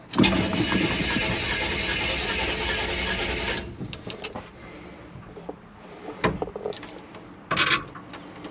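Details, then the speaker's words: Starter spins the engine steadily for about three seconds but it never catches, then goes quiet: cranks without firing. Owner suspects the choke came off too early or the tank is out of gas because the fuel gauge doesn't work. "I think maybe the choke went off a little bit too early. No! Oh, come on."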